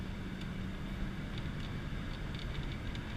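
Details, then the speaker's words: 1993 Ford F250, warmed up, driving with driver standing on throttle: deep steady V8 roar under full throttle, smooth even pulling, no knocks, misses or rattles; healthy with good pep. "see it's got some good pep to it"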